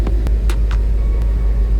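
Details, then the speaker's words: 2018 Mustang GT Coyote V8 with custom prototype cold air intake, hood up, about 70°F outside: deep, smooth, even rumble at idle with no shake, tick or miss, a calm healthy idle. "so you can see it's idling let's take a look at the engage let's see how calm that idle is"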